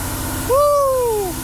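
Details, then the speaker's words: First start of a newly built muscle car (engine and drivetrain just installed, rack-and-pinion steering, coilovers), in neutral with no throttle: deep, steady, even idle with no knocks, misses or stumbles; healthy fast idle. "Fast idle. That's what I'm talking about."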